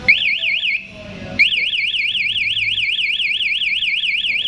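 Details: KTM Duke 200 with an aftermarket MP one-way alarm installed: once the alarm is armed, switching the ignition on sets off a loud rising-and-falling siren that keeps cycling, and the engine cannot be started.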